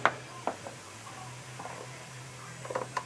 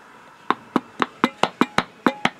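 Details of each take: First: Hand-pump vacuum canning of rice in a jar with a ring; soft irregular pops and ticks as the lid flexes back and forth under vacuum over a faint hum; lid flexing as vacuum is pulled, jar sealing normally. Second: You can hear it sounds loose, and the lid has a deal.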